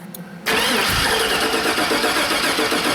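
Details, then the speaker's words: 2002 Chevrolet 2500HD 6.0-litre V8 plow truck, low fuel, dead battery: starter spins at an even cranking beat but never fires; spark tester shows no spark on both sides; injector has power. Crank, no start. "Alright. Now, looks like we got no spark there."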